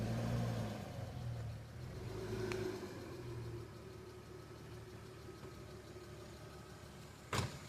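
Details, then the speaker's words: BMW E36 during a manual-transmission swap: quiet idle with light, quick ticking that follows engine speed. Owner says the hydraulic lifters are noisy; cam removal is put off and the car otherwise runs well. "runs real good it's just the uh the lifters are going crazy right now and I don't feel like taking the cams out so that's going to have to stay for now"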